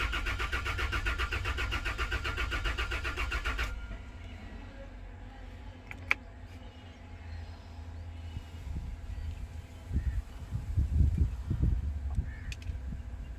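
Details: Toyota Land Cruiser crank-no-start, fuel pump circuit being tested: even cranking chug at about four beats a second for nearly four seconds, never catches, then quiet; cranks but won't start, cause suspected not confirmed.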